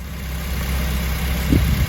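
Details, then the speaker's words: Honda Civic Type R FN2 after Kaizen fuel rail install and replacing a faulty injector: even, steady low idle rumble with no misses, stumbles or ticking; pulling it out changes the note, exhaust no longer sounds like a go-kart; normal idle. "So everything seems to be running okay. If I was to pull this out, you hear that engine note change, so that's all working with the new injector. Even getting a normal sound out the exhaust, so it's not sounding like a go-kart anymore."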